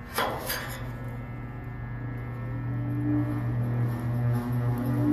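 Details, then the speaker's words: Air conditioner outdoor unit, fan and compressor not running: a few knocks, then a steady low motor hum builds as the fan spins only after a push with a stick; dead dual run/start capacitor, replaced. "As you can see it starting to run because I gave the fan a push This means the startup capacitor is gone (dead)"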